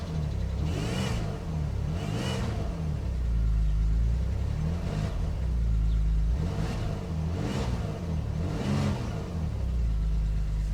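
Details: GT 3.2 V6 petrol on a sub-zero very cold start: low wavering buzz, uneven revs and poor throttle response.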